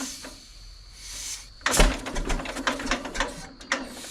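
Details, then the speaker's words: 1936 John Deere A, hand-spinning flywheel with choke on, neutral, clutch disengaged, throttle halfway, compression-release petcocks open: slow uneven chuffing and clunking compression strokes, not yet running. "you want to stand back from the flywheel cuz once it starts this thing is going to start spinning and spinning fast so you just spin her up you hear the compression"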